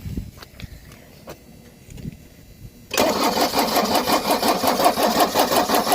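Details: 1983 Mercedes-Benz 240D diesel, sat 5 years, cold day, injector line nuts loosened to bleed: quiet lead-in, then steady starter churn near three turns a second that never catches; possible air in injector lines; cranking no start.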